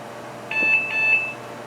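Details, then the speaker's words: HP Vectra VL Series 4 5/133 at power-on, no hard drive, CD-R not working: short string of high, clear POST beeps, then nothing; boot halts on a resource allocation conflict with the PCI Ethernet card. "so oops resource allocation conflict PCI device that's the uh Ethernet there and that's as far as it's going to get"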